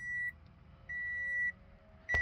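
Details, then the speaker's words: Toyota Camry hybrid (2012 or 2014), about 140k miles. Three long high beeps a second apart; READY flashes twice, then no start. Codes P0A80, P0AC0, P0B3D, P0C30. Finding: heavy electrical short. "when i press the start button the ready clicks two times before disappearing giving me problems"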